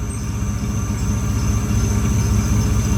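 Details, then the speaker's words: GMC Safari 4.3 L Vortec V6 after a tune-up (new platinum plugs, cleaned cap and rotor, wires repaired) for code P0305, cylinder 5 misfire: smooth, steady idle warming up with no misses; normal idle, slight belt chirp from sitting. "we got to put that Techron in probably do that tomorrow sounds good over here nice and smooth coming up the temperature"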